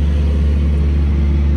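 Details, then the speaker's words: Cummins ISX diesel truck after full rebuild for dropped liners and blown head gasket (block cut, liner shims, OEM parts): deep steady idle, even beat, no knocks or ticks; runs good with good oil pressure. "got a starter everything's good runs good oil pressure and everything"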